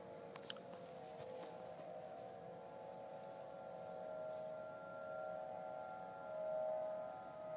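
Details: Faint sustained mid-pitched wail with slight wavering over quiet outdoor background, Denver CO, early November 2012; recurred same time and weekday a month apart, ends with "powering off" sound; owner assumes man-made, possibly mechanized, source unknown.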